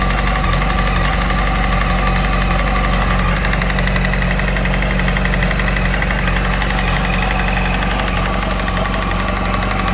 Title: Yamaha YZF R1 RN19 2008 Engine Knocking